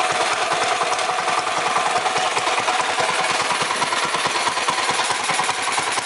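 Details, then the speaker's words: 212 Predator mini bike with a PWK-style carburetor, started at idle: a rough, uneven chug with a hissy, breathy edge from not getting enough gas (lean idle). The fix is to adjust the air mixture screw out. "I'm going to start the bike and y'all going to hear how it got like a little CH chug to it so that mean it's not getting enough gas"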